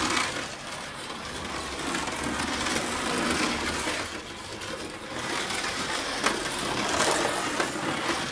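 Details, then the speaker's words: Carrera BMW 2002 slot car with magnet removed, lapping the track: fast irregular clattering rattle over the motor whir from out-of-round stock plastic wheels, hidden when the magnet was fitted; to be fixed with CB Design wheels. "If your wheels are out around like it is in this case, quite often you don't notice at all with the magnet in the car. Once we take the magnet out, it's far more obvious."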